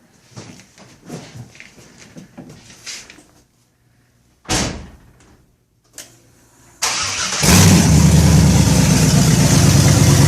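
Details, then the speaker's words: Pontiac Firebird Bandit II, LS1 swapped, with an RV cam: short crank, catches, then a loud, choppy, loping idle; lopey idle from an aggressive camshaft. "well why don't you fire it up for us let's let's hear what that RV camp Sands like"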